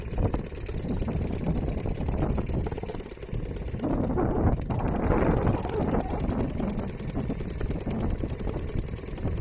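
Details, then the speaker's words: Restored old Seagull 40 Plus two-stroke outboard running in the sea: steady buzz picking up cleanly as the throttle opens mid-clip and settling back; responsive on throttle, cuts out when throttled right off; running healthy. "I mean, it's doing what it should. When I throttle right off, it cuts out. Nice and responsive on the throttle now."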